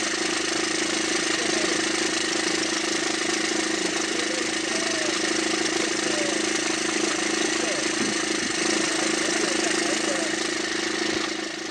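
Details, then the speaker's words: Diesel at idle, old noise before repair: a fast light rattle, about three per second, over the clatter from worn pulleys, confirmed as the fault and replaced. "وقلت ان المشكل في البولين تاعنا كلام صحيح الحمد لله طلع فيها المشكل هذاك"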